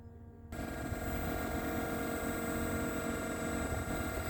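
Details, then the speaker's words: 2020 Blue Bird electric school bus, power on: after short silence a steady layered electronic hum comes on and holds; normal pedestrian warning sound, played until about 25 mph, then it stops. "And here's the sound it makes until you hit about 25 miles an hour. And when you hit 25 miles an hour, that sound goes away, and then it's kind of quiet inside the bus."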